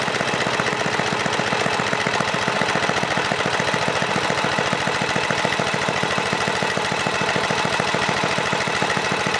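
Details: 1978 John Deere Tecumseh HM80 8 hp 318cc single-cylinder snowblower engine, restarted: dense, even chuffing at steady speed, no misses, knocks or surging. Normal running.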